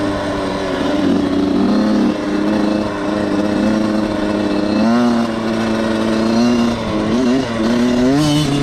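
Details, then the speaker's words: Suzuki RM85 two-stroke dirt bike ridden after wheelies: revs waver and sag under throttle, pitch stumbling up and down instead of climbing cleanly, so it bogs; the owner suspects carb problems, but the cause is unconfirmed. "It was kind of bogging, but I think as I kind of ran it a little harder in the first gears, probably burnt that gas out, but I think it's good."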